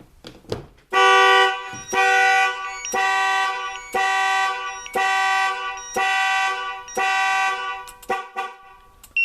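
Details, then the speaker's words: Nissan Armada with a newly installed 2-way alarm/remote start: the horn honks in evenly spaced bursts about once a second as the alarm triggers normally when a door is opened, with the remote indicating which door. "any of the doors, it'll go off. And it'll indicate it on the remote, as you'll see."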